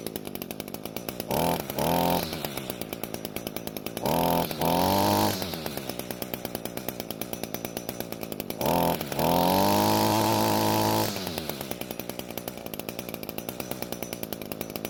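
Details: Echo trimmer two-stroke after a carburetor needle adjustment, possibly overdone: steady rapid idle breaks into short revving bursts that drop back each time, surging instead of holding throttle smoothly.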